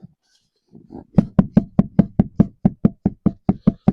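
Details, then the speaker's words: 2002 Chevy Silverado rear axle pushed in and out: sharp metallic clunks about twice a second with no up-down or side play. The owner suspects a worn or broken C-clip in the rear differential. "There's some in and out play there. There's no wiggle wiggle jiggle up and down, side to side, just in and out."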